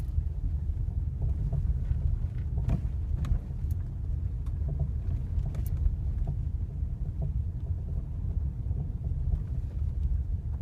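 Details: Ford Mondeo 4 driving over uneven road: sharp irregular knocks over the low road rumble on bumps. It also knocks when pulling away and braking. Suspension knock, cause not yet found.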